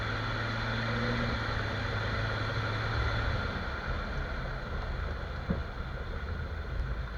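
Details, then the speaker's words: Jeep XJ front end on test drive after dry lube sprayed on the cracked-rubber axle-shaft u-joint: only steady road and engine drone, no clicks, clunks or squeaks; noise gone, confirming the u-joint as the culprit, to be replaced or whole axle shaft swapped. "so literally there was no noise so the issue was the cracked rubbish on the u-joint on the axle itself axle shaft so once I sprayed the try loop the actual shaft stopped making noise"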